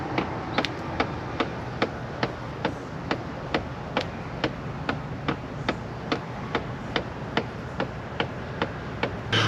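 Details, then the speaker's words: Chrysler 300: sharp, dry ticks about twice a second from inside the dash; knocking noise first thought to be a blend door motor, owner jokes it is mice, cause unconfirmed. "got mice in there I thought I had mice playing the drums or something sounds like a blend door motor well no it's definitely mice playing"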